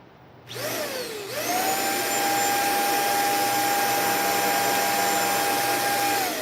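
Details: Sanitaire upright vacuum after repair of a damaged internal fan and split bearing: motor spins up to a steady, clean high whine with no rattle or grinding, running smoothly.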